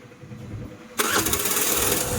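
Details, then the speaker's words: Suzuki Access BS6 scooter just fitted with a manual idle adjuster: starter whirs, engine catches and races at a fast, raised idle before the adjuster is screwed in. "చూసారా బండి racing లో ఉంది ఇప్పుడు manual గా మనం slow చేసుకోవాలి"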